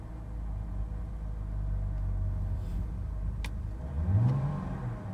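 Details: 2006 BMW 325i N52 six-cylinder: low, uneven idle rumble surges and dips before a short rev; rough idle, cause unknown.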